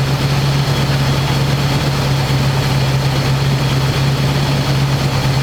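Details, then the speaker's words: 1985 square body truck, 454 big block V8, 4-speed, sitting 20 years, after refitting air cleaner and vacuum lines and adjusting idle screw: even, loaded burble with constant low drone, no misses or stumbles. Normal smooth idle. "it's idling pretty smooth"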